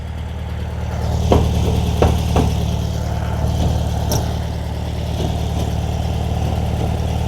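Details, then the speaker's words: 1957/58 VW Beetle after the owner hit a curb. Deep, lumpy idle with loose metallic "dink" rattles riding on top every so often, not the window noise; unclear whether inside or outside the car, source not found. "I seriously have no idea where this noise is. And it's not that window noise."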